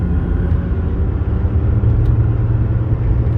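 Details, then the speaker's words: 2002 Jaguar XJ8, 127,000 miles, on test drive: deep constant roar rising with road speed; suspected bad tire(s), wheel bearing or driveshaft, unconfirmed; engine and transmission seem fine. "It's smooth and powerful, but oh, it makes a terrible roar. Yeah, terrible, terrible roar."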